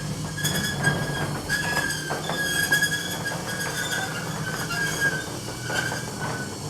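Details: Garage roller door rumbling open with high, shrill squeaks about once a second, recorded before maintenance. Squeaking from dry tension springs inside the door drum, to be fixed by lubricating the springs.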